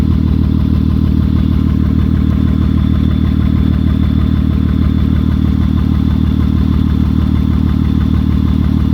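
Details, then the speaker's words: 2003 Honda Odyssey 3.5 L at idle, catalytic converter disconnected so the exhaust is loud: a lumpy, uneven chuff at about three beats a second; a dead miss from a shorted coil-on-plug ignition coil on one cylinder, with misfire codes. "Honda Odyssey with a 3.5 liter engine. It has a dead miss at idle."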